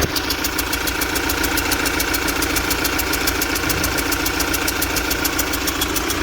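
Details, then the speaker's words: UMZ-4216 (Evotech 2.7) engine at 129,000 km, idling: sharp ticking about 3.5 per second over a lumpy idle, with popping into the intake manifold and a misfire; intake valve seat in cylinder 1 suspected, and the knock fades when oil is added. "Это у нас первый цилиндр, скорее всего седло впускного клапана, потому что стреляет во впускной коллектор, и цокает, короче, и двигатель троит, то есть подтраивает."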